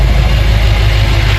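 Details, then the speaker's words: BMW M5 with S63 twin-turbo V8 after rebuild, airflow meter fix and fluids topped up, first start, cold: deep, smooth, even idle rumble with no ticking, knocking or stumbling; running well with no leaks. "As you can see, she's running, everything's good, no leaks. So I'm mega happy."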